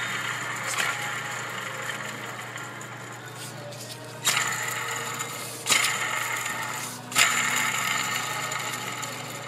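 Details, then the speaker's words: Ford 4.6L/5.4L serpentine belt tensioner pulley removed and hand-spun three times: dry gritty rasp fading as it slows, worn bearing causing a whine often misdiagnosed as power steering pump. "tensioner is usually the worst sounding the bearings go on these first over to idlers"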